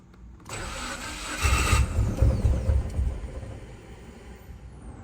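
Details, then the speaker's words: 2013 Subaru WRX, abandoned, full tank, first start: uneven cranking catches and stumbles into a lumpy, struggling idle with irregular low thumps, sounds like a pretty good misfire, then dies. "Started. Doesn't sound good. Well, I just started it up. It shockingly runs. Sounds like it might have a pretty good misfire, but other than that, it actually does run."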